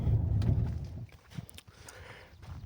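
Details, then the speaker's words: Mercedes-Benz W211 driving over small bumps and rubble: sharp uneven knocks, worst on left front, from worn ball joint in front straight control arm; recently replaced ball joints, both front arms to be replaced. "Так і і стук явно проявляється. Ліва сторона то вообще тарабанить. От именно на мелких кочках, таких як по гаражах їдеш такі каміння, битий шифер, битий кирпич, стукає добре."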